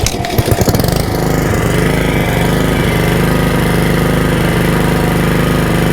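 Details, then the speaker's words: Small mower engine after bending the governor linkage to tighten the spring: brief unsteady start then even steady drone, surging gone and running much smoother. "here so right there guys just from that little bit of adjustment as we can see we no longer have this lever surging here and you can also hear that the engine's running a lot smoother"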